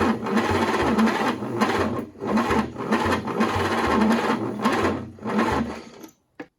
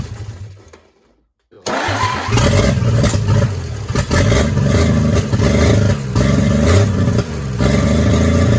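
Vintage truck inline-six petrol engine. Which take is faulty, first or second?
first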